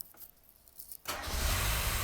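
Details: 1990 Mazda Miata NA after top-end engine rebuild: a second of quiet, quick crank, then catches straight into a steady even idle; normal start.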